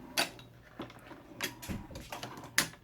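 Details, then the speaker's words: Hornady Lock-N-Load AP reloading press: sharp, separate metallic clicks as the ram goes down. The spring-loaded right-hand pawl slips under the gear and snaps back once it clears, which is normal. "When you're going, the ram is going down, the right hand paw slips underneath the gear, and then once it clears the gear, it snaps back up because it's spring-loaded. And that's the clicking that you hear"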